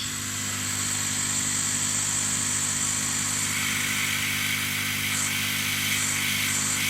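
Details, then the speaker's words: Chinese laser cutter air assist pump running with the jam-jar damper and pulse limiter removed: steady airflow hiss over even low hum, no noticeable pulsing; smoothly damped via 10 mm to 4 mm pipe. "well I have to say that that sounds pretty successful and if I put something in front of the airflow this sounds pretty stable"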